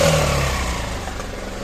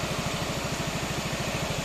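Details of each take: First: 2016 Yamaha Xmax 250 scooter at start-up: a short blip then a loud, raspy, hollow exhaust roar with no leak; the scooter also shows take-off vibration and clutch slip. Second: 2016 Yamaha XMAX 250, warm, after fitting a used original exhaust: even, quick idle putter under a steady cooling-fan hiss, firing smoothly and regularly. Normal warm idle with the fan running.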